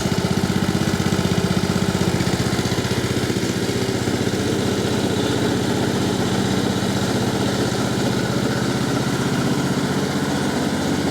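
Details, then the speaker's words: Husqvarna LT1538/LT1597 lawn tractor with a replacement engine and rebuilt muffler, idling with the hood off: even, steady single-cylinder putter at about three beats a second with no misses or knocks; healthy idle. Regulator is reading only six volts, cause unknown. "it's just idling along there of course we don't have the the hood on and pretty happy with the way it's sounding so far"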